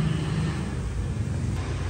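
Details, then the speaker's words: Honda SH300i after rebuilding the clutch/CVT and drive, cleaning the radiator and fitting a larger fan, which fixed rattling, vibration, shaft whine and overheating: steady even low rumble with no rattle or knock; normal running. "làm hết kêu cọc cọc nồi hết hết rùng mát máy hơn không có sinh nhiệt nữa"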